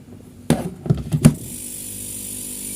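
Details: Refrigerator compressor after its overload protector was replaced with a 1/6 PK unit, on test for cut-out timing: a few clunks as it kicks on, then a low, steady hum with a faint high whine; runs evenly.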